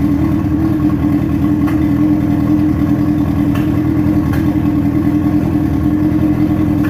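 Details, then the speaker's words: Dune buggy engine at first start-up after build, running perfectly; earlier carburetor fuel overflow has been sorted, no more petrol overflow. Smooth, even mid-pitched hum with no knocks or misses, running cleanly. "yes guys it is running it is perfectly running and there was slight of an issue with the carburetor of overflow but that thing has been sorted out and now there is no overflow on or any sort of petrol issue"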